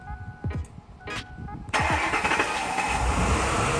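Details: Lincoln Navigator with fuel pressure gauge fitted (spec about 30–32 psi): starter cranks a couple of seconds before the engine catches and idles; hard start from a failing fuel pump.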